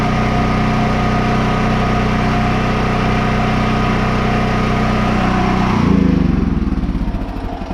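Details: Generator after carburetor reinstall for surging: even steady engine hum holding speed without hunting, settling near end; no surging.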